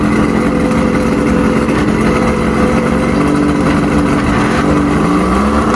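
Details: Mercury inline six outboard after no-spark repair (trigger and stator tested, spark restored on all six cylinders): steady, even drone with smooth low hum, no misfire or knock; runs cleanly, though weak water pumping means impeller needs replacing.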